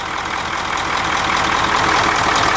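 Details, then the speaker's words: 9-liter diesel bus with K&N air filter, after valve adjustment: steady even diesel clatter at idle with no thumping from the intake manifold; healthy engine. "I noticed that all I heard was a rattling sound from a normal diesel and no thump-thump-thump in the intake manifold and that's more pronounced with this K&N air filter that's on here"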